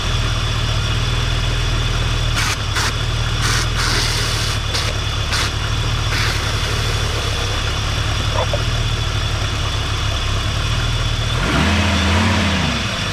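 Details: Audi S6 idling after battery reconnected and 2 litres of concentrated coolant added with improved bleeding setup; deep smooth steady hum with a brief rise, no knock or rattle, the earlier bad noise is gone.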